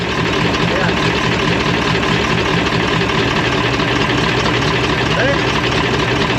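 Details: MAN Kat truck diesel: a loud, steady idle with a faint, uneven tick over the clatter from one cylinder. The injector was checked and judged good, so the noise is suspected to come from a valve seat or valve. Not confirmed.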